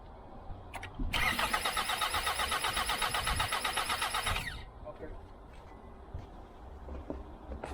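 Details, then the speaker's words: 2021 Hyundai Santa Fe left sitting in a lot, boosted with another battery; starter cranks evenly about four beats a second for three seconds but never starts; chewed foam found, technician suspects rodent-chewed wiring; chewed wires then seen. "as you can see there, it cranks, but I think we have an issue there where it got chewed."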